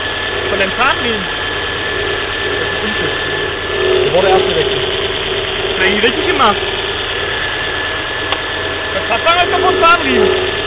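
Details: Volvo V40 1.6 idling shortly after a cold start: steady hum with chirpy squeaks and ticks every couple of seconds, seemingly from the middle area of the engine, lessening as it runs; source unclear.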